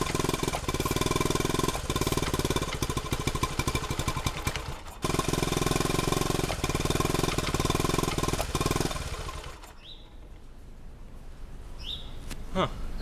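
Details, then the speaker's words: 1971 Honda CT90 after rebuild, only runs on choke: small single putters with ragged irregular firing, drops out, recovers and fades; spraying starting fluid changed nothing, so owner suspects dirty carb jets rather than air leak. "doesn't sound good at all. Huh. I don't know what that is."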